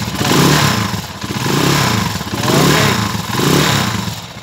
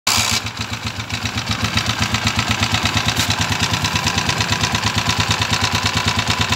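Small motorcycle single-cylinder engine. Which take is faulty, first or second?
second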